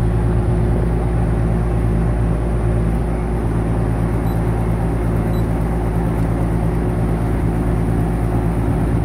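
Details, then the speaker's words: Duplex air conditioning condenser compressor, tested before fitting a start capacitor and potential relay: a heavy, steady low hum that never picks up speed as it tries to start. The compressor is locked rotor. "Is it gonna try again? Yep, that's it. She's rotor's locked. No good. No good. That compressor is locked up."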